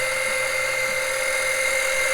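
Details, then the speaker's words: Small electric extractor pump sucking engine oil through the dipstick tube for an oil change on a 2007 Monterey 214FS with a MerCruiser 5.0 MPI. It gives a loud, steady high whir with no rattle, gets a little hot and is slow; normal running. "it is pretty loud let me turn this thing off it is pretty loud it does get a little hot i ain't gonna lie and it's not the fastest thing in the world"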